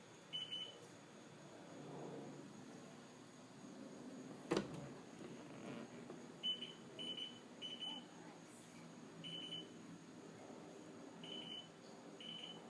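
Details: STX15F watercraft (runs hot, won't start): short high beeps in irregular bursts with the battery disconnected and ignition off. A bad voltage regulator is suspected, not confirmed.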